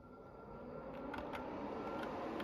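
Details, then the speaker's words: Blaupunkt air cooler running: steady airy fan rush with a faint thin whine at an even pitch on top. Normal running for this cooler. "Some people find the noise of the fan quite soothing and it gets them to sleep. This has got a bit of a whine to it, if you can hear that."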